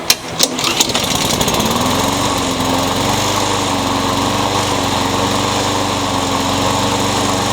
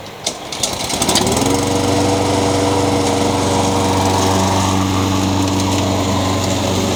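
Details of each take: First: Honda-powered Craftsman single-cylinder mower, carburetor already cleaned without fixing it, before new carburetor fitted: pitch climbs and wavers instead of holding steady; engine surging, cause suspected carburetor. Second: Honda GCV160 (owner thinks) on a Craftsman mower, after new carburetor replaced a surging one and an unbalanced blade was replaced: fires after a few pulls, settles to a steady, even hum with no bouncing or knock; runs smooth and balanced.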